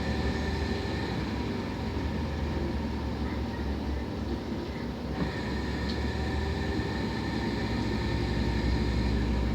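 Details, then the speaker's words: Decade-old LG washing machine washing with a loud constant low rumble and thin steady whine, new since a maintenance service after a coin got stuck inside; worse with clothes; technician called it normal. "y cuando está con ropa es peor el sonido es excesivo"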